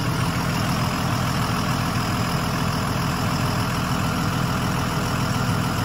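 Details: 2001 Freightliner XC chassis diesel motorhome (Allegro 35IP) after an air dryer/filter service: steady low diesel idle with an even rumble, rear relay valve audible, no hiss or leaks from the air fittings; normal idle.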